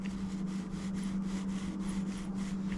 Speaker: n hear it see it's grinding and squeaking this cam is just fried or the uh the bearing in that thing is almost seized up